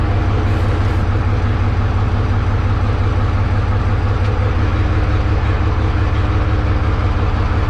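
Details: 1963 Diamond T 931-CN cabover semi diesel, first run after sitting one to two years: deep even idle thumping about two a second, no misses or knocks; healthy idle.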